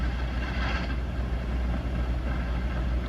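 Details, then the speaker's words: Vintage Hammond A-102 organ with a Leslie 145 speaker, switched on with nothing played and chorus on C3: a steady low hum and rumble that never lets up. It is constant background noise of unknown cause. "I don't know if you can hear this, but it's a little noisy."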